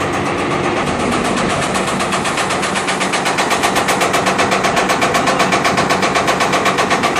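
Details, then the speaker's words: Marley cooling tower Geareducer with massive noise complaint: loud, harsh metallic rattling beat at about four per second from the gearbox itself, much rougher than a healthy reducer; not yet disassembled. "so you heard that noise that's what's happening there that's the gearbox itself"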